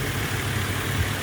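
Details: 2010 Subaru Outback 3.6R Limited, 3.6 flat-six, just bought cheap: a smooth, even low rumble at idle after start-up, steady rhythm with no knocks or ticks; the engine runs well, though its A/C still needs work.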